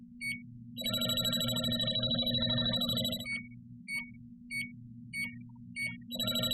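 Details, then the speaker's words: JB Industries LD-5000 Prowler refrigerant leak detector run past the cap of a refrigerant can that was opened and closed: rapid beeping, about three per second, turns continuous; it alarms on leftover refrigerant until it wears off. "okay and that will alarm until the refrigerant wears off"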